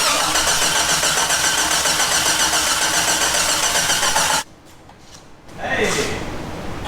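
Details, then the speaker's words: Jeep "Banana" with newly installed 4.6 stroker engine, start attempt: fast, even cranking for about four seconds that never catches; crank-no-start traced to a wiring connector not pushed in fully, which looked seated. "I didn't put one of the connectors in all the way because I thought it was enough. But it was there, so it looked like it was in."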